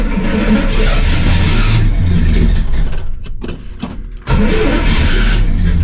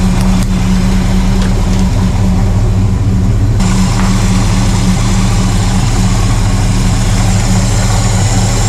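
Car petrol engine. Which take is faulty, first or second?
first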